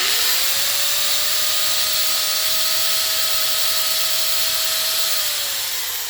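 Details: DeWalt DWE4120 angle grinder, bought dead at auction, after new motor brushes and reassembly, being broken in: spins up to a smooth, steady high whine at full speed and winds down cleanly; the initial clicking has gone, so it sounds healthy.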